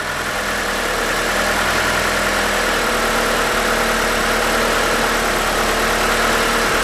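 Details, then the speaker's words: 1992 Mitsubishi Galant VR-4 after idle screw adjustment, plugs grounded; loud even idle around 1000 rpm, slightly high, settling without surging, steady idle, slightly high. "oh I think we're getting there keep checking your PM's still around a thousand rpm which is a little high so I'm gonna make sure it warmed up all the way"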